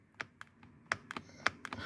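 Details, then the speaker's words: Passenger-side B-pillar seat belt height adjuster in a quiet cabin with the engine off: sharp, uneven plastic clicks as the loose slide rattles in its track. The fix is velcro or felt between the two pieces, or a rubber O-ring. "you hear the vibration because it's also comes from the B from this you hear it so these two pieces are not quite secure"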